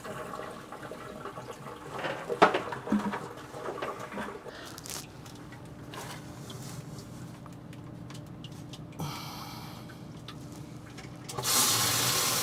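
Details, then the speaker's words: Sump pump tested by lifting the float by hand: quiet gurgling, then a sudden loud rush and jolt of water through the discharge pipe as the pump empties the pit, working normally. "you should hear water surge through this pipe here you'll hear a jolt and water will go out and for you as the audience that's how you know that water is escaping the pit"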